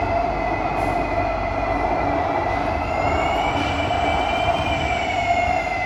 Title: [Loud screeching sound] SMRT C151B (607/608): Bishan - Orchard (➡️Marina South Pier) #c151b #smrt